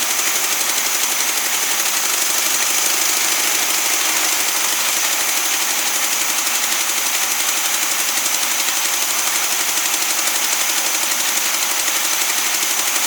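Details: Newly acquired SpraCoupe air-cooled flat-four for a 1961 VW bus, running on coil from original bus engine: even rapid clatter at steady idle, no misses or hunting; oil light goes off instantly; idles normally.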